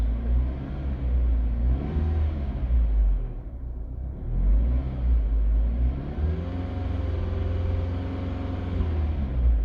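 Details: 2009 Mini Cooper R55 petrol: deep, uneven rough idle swelling and sagging between short revs, stalling at low speed; VANOS fault code 2845, solenoid valves already cleaned without improvement.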